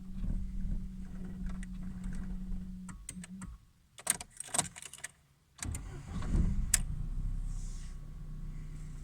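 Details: Audi A4 B5 petrol engine: several seconds of cranking hum, a pause with clicks, then more cranking before it finally catches. Hard start with long cranking.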